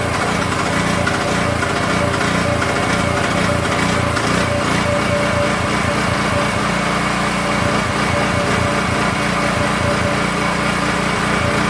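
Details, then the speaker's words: King Canada 3000 W generator (bought after a pop killed its power output), restarted after reassembling the front cover: small single-cylinder engine speed pulls up and down unevenly; governor hunting badly, surging idle. "Just before I get into the voltage switch, generator's hunting like crazy."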